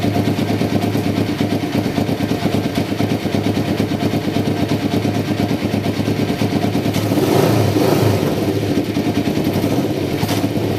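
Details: 1993 Kawasaki Vulcan EN500 bobber project, first start after removing the reed/air suction valve and installing and synchronizing the carburetors; mixture not yet tuned. Steady lumpy twin-cylinder idle with quick throttle blips that rise and settle cleanly; even firing, no misses.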